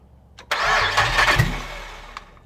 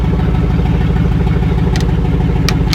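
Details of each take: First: LS V8 swapped into Celica GT-SS, first start in car with temporary wiring harness and fuel tank, fuel pump heard priming: about 1.5 s of cranking that never catches then quiet; cause not confirmed; cranks but does not start. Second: LS V8-swapped rear-wheel-drive Celica GT-SS on its first start in the car: deep, even V8 burble for about seven seconds, then it shuts off cleanly; no oil leaks, smoke or fire, healthy.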